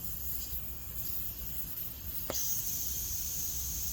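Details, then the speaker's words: Jeep Grand Cherokee tire found low: steady high hiss with one sharp click as air leaks straight out of the valve stem core; fix is replacing the core with a Slime valve tool. "that it's leaking air directly out of the valve stem core what we need to do is replace the core inside that valve stem"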